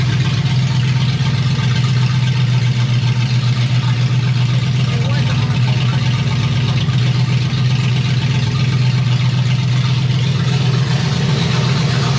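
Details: 1965 Chevy Nova wagon, 327 small-block V8 on first fire, at 180°F with fans cutting in around 190–195°F: deep, even, lumpy open-header rumble with no knocks or dropouts; normal, healthy warm idle.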